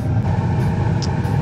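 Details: Bryant 926 series two-stage gas furnace with variable speed blower on high fire, manifold pressure about 3.72 (range 3.3–3.8): steady, even low roar with no surging, popping or rumble; burner firing cleanly.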